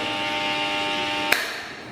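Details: KDK K14X5 fan: steady fixed-pitch electrical buzz over the fan until it is switched off and fades; abnormal motor buzz.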